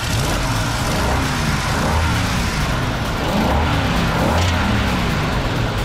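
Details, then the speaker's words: 1965 Ford Mustang V8 with Holley 4010 carb, idling about 750 rpm, 14 degrees initial timing, whistling vacuum leak at carb: revved up and down with a rough gritty edge as the new clutch fan hits the transmission cooler line. "I rev It Up The Fan hits the uh transmission coil line"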